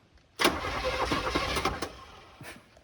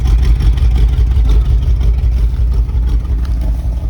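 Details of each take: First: 1978 Chevy K20 4x4 Camper Special, left sitting outside for 13 years with a stuck starter: after beating the starter with a plumber's wrench it spins the engine freely for about two seconds, an even churn with no grinding. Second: 1978 Chevy K20 4WD Camper Special V8, sat outside 13 years, later restart after sitting to cool down, more transmission fluid added: deep, steady, even idle, no stumble; blow-by smoke gone, engine running much better, not perfect.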